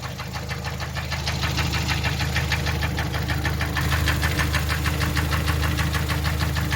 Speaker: 그 고질적인 문제 딱딱딱딱딱 하는 소리가 계속 날 거예요. 어느 부위인지 정확히 모르겠어요. 그쪽에 엔진 쪽에서 일단 소리가 나죠.